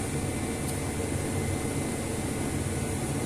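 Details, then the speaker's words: Lada Largus engine with wild noise near the accessory drive belt, first thought to come from the pump when heard from above the cover; with the belt removed the idle is a steady, even hum with no whine or rattle, so the noise came from the alternator. "звук дикий решили снять приводной ремень запустить тишина как"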